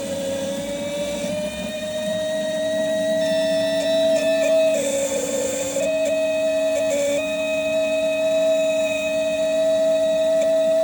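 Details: New set of six K-Jetronic (CIS) injectors of the type used on a Porsche, tested on an ASNU bench at crack pressure of 3.7–3.8 bar: a steady high-pitched buzz over the pump hum with no stutter. The injectors chatter cleanly. Normal.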